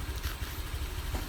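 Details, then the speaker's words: Honda Vario 125 that was hard to start in the morning and stuttered until warm: after adjusting the setting to about 2.5 turns, a steady low idle with even, regular firing and no misses; TPS sensor did not need replacing. "Oke teman-teman, ini udah beres ya, permasalahan si motor ini udah beres ya, tidak perlu ganti sensor TPS dan lain-lain ya."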